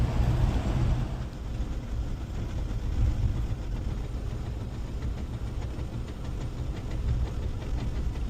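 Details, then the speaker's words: Land Rover Defender 110 rolling: deep rumble with uneven knocking from underneath; suspected overstretched handbrake cable making the handbrake shoe rub and bang at the transfer box, not confirmed. "it causes some kind of friction and something bangs away when it's spinning and it's not engaged. That's my very technical explanation."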